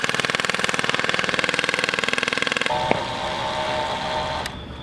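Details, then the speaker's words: Turbocharged rotary ATV whose turbo stopped making boost: rapid even pulsing about four beats a second gives way to a steady thin whine as the turbo spins down; shaft has end play, owner suspects turbo bearings done. "like kind of a whining noise so if i was to guess i think our turbo's done for"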